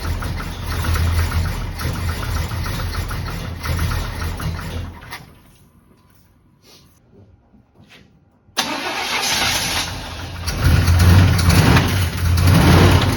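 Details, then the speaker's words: Abandoned barn-find square-body Chevy truck in about zero-degree cold, during carburettor work: cranks and catches, cuts out, then restarts into an uneven, lumpy, hunting idle; runs rough, cause not yet shown. "hey several hours later I finally got this truck to start it wouldn't run very well but I think I found the problem"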